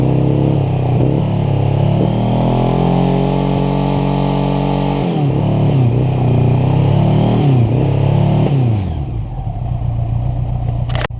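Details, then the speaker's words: 1980 Honda GL1100 Goldwing on day 2 of its revival, after starter solenoid change, revving up and down smoothly with an even note following the throttle, then shut off; normal running. "I just gotta cut back in and just say how happy I am that this is actually running."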